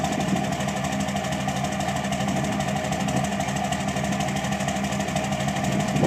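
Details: 2006 Cummins diesel at idle: loud idle with an uneven, lumpy beat of about three pulses a second over steady clatter; rough idle, cause not pinned down.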